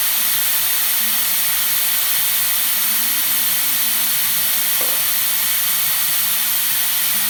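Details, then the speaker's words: Nuova Simonelli Musica espresso machine after an OPV pressure adjustment service: a strong, steady hiss of dry steam from the wand, with even flow and no sputter or pulsing. The steam wand works normally. "you can hear that that's because the pump was running and trying to fill the boiler as it was letting out hot water at the same time"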